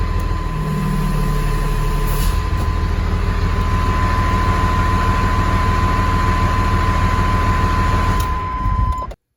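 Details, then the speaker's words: 1996 GMC 3/4-ton Suburban with Cummins diesel swap, started after sitting about 3 days, air compressor possibly faintly audible: steady low diesel clatter at even idle with a faint constant background tone; normal healthy idle. "Gotta love the sound of a Cummins diesel."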